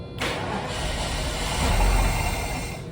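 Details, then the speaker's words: Engine previously getting no fuel from missing fuel distributor; new distributor fitted with new crush rings and primed. Starter churns about three seconds but never catches; cranks without starting, owner suspects air still in system. "All right, maybe just some air still."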